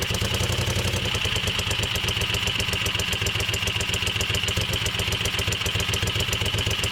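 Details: Moto Guzzi Le Mans 3 twin, first start after restoration, cheap pod filters: steady even idle slightly high with crisp beat and light valve chatter, both cylinders firing; throttle held slightly open until throttle cables tensioned.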